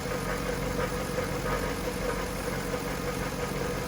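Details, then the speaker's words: 1998 Jaguar XK8 V8 at idle: steady low grinding rumble like metal dragging, only at idle, fading with engine speed, worse with AC on or steering turned; belt tensioner pulley felt rough, suspected, not confirmed. "it's a low grinding rumbling it almost sounds like a a vibration of some like it sounds like a metal pipe being dragged on the floor"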